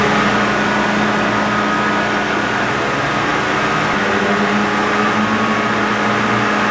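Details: John Deere green F12-090 hydraulic motor returned for a customer-reported squeal, bench run at 2,000 rpm with no load: steady even mid-pitched hum, no knocks or surges; normal.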